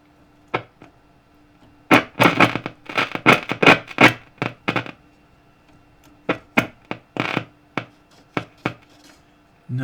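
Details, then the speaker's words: Vintage HMV 42-71 valve radio being brought up on a variac from 80 volts to 200: steady low hum under irregular crackles and clicks; humming and clicking noise, cause not yet traced. "and bring it up to 20 200 can hear it humming and clicking away it's making a noise"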